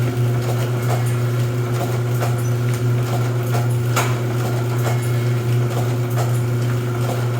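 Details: Rosback 250C (318) 3-knife trimmer with CueFeed feeder, new DC controller fitted, delivery not running so books caught by hand: steady low motor hum with even clunk every two to three seconds per book cut; normal running cycle.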